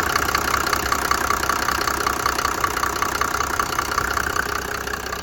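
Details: 1991 Mercedes-Benz 350SD diesel after its broken camshaft was replaced: steady idle with even regular clatter, no misfire.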